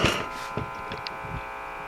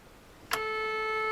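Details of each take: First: RCA Victor 12X2 tube radio after full recap: a steady low buzzing hum under faint static and tuning crackles, unchanged as the dial moves, despite new electrolytics; troubleshooting pending. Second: RCA Victor 12X2 tube radio after full recap, power-on test with a signal injected at the output tube and speaker, radio off: clean steady mid-pitched tone with no crackle or hum; output section works.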